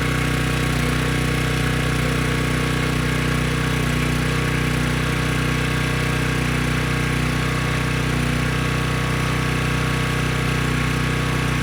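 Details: Briggs & Stratton Storm Responder generator after cleaning a dirty carb (it previously would not run), running on a test tank under a 3000 W load: steady, even drone with no misses, surging or knocks; normal running under load.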